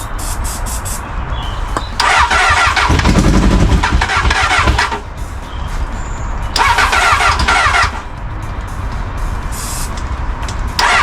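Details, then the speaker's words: Crash-damaged Honda Hornet motorcycle after reconnecting a missing wire: two bursts of fast, buzzy starter cranking with a couple of near catches but it never runs; battery running out of charge, not enough power for the fuel pump. "oh this sounds like just going to fire let's get some spark into that come on come on go come on you almost got it"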